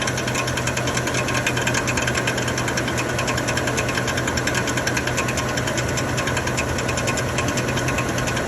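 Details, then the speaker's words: 2013 Chevrolet Silverado 1500 5.3 L, knocking thought to be flywheel and check-engine light on: fast light metallic sewing-machine clatter over idle from the starter drive gear not retracting from the flywheel; noise stops when the starter is pushed, not flywheel or internal engine. "por qué miren el ruido siempre que sostengo que la camisa del del arranque de las marcas del start deja de hacer ruido no es problema de volante"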